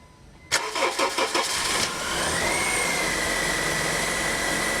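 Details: 2008 Honda New Civic on its first cold start of the day, after cleaning the power steering reservoir and changing the fluid: fires after a brief crank and settles into a smooth, steady idle with no pump noise; normal idle.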